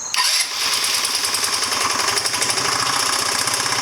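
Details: 2009 Genuine Buddy 125 scooter, now starting reliably after carb cleaning: buzzy single-cylinder runs rough and stumbles, bogging when given throttle; owner suspects the CDI and plans to replace it.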